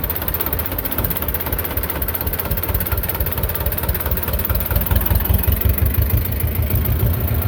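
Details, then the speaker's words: Belarus 250 tractor, two-cylinder air-cooled diesel that sat for years, at 3/4 throttle: low clatter that rises and sags unevenly, nearly dying then coming back, as too little fuel gets through; owner suspects the injection pump. "well now you see what I'm talking about it's not vent lot fuel's getting down it wants to just run and then kind of surge almost die then it'll come back"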